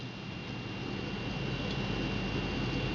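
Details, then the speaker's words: HD4870 graphics card after fitting an Arctic Cooling Accelero Twin Turbo cooler, running about 10° cooler: only a soft steady airy hush with a faint tone, no whine, nearly silent versus the jet-engine stock cooler. "I mean seriously it barely makes any noise from before to now is just an incredible difference it's almost virtually silent now"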